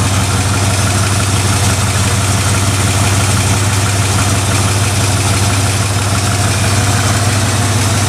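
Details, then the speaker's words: 1969 Ford F100, believed 302 V8, C4 automatic, idling: loud, blatty idle with a raw puffing pulse about three per second; exhaust leak, passenger-side pipe cut or rusted off, exhaust and mufflers need replacing. "It's a little loud because of the exhaust leak. You know, it sounds pretty cool with some new mufflers on there."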